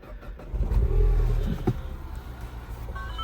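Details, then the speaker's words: Mouldy barn-find Citroen on 97k, clutch-started, possibly with an aftermarket exhaust: the engine catches after a brief crank and settles into a quiet, even idle, with a few odd beeps possibly from an aftermarket Bluetooth unit; healthy start. "so it's actually quite quiet. Makes some odd beeps in there. I don't know what that is."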